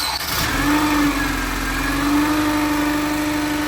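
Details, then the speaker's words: Acura RSX with a badly worn clutch, engine running: a steady mid-pitched whine among several noises; the release bearing sounds toast, and the fix is a complete new clutch with flywheel. "Sounds like the release bearing is toast. It's got several noises."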